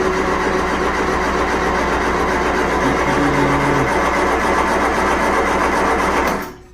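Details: 1975 MG Midget after roadside breakdown (shut off while driving, towed home), out of gear: starter whirs about six seconds with no firing or catching; cranks but won't start.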